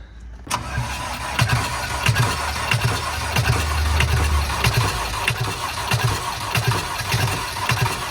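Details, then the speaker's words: High-mileage ex-Amazon delivery van, sat for months, new battery fitted: labored cranking with uneven compression thumps about every 0.7 s, never catches; crank no start, owner suspects a faulty ignition switch. "so with the van still not starting even with a new battery it at least gave me some hope that it was trying to start something very strange is going on with this ignition"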